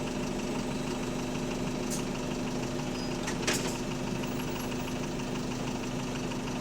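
Steady diesel drone from inside the bus with a faint knock buried under it; sounds like a worn bottom end but that's unconfirmed.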